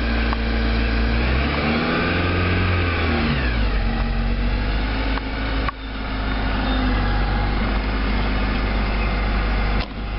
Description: im Having a Stranging high pitched noise comming from the motor, and maybe you guys can assist me on doing so